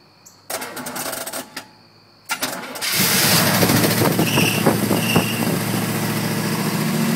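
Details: 1979 Camaro Z28 with 305 V8: starter cranks a second and quits, cranks again before catching and settling into a lumpy, uneven idle; hard starting, after 10 minutes running it would not restart, starter just clicks.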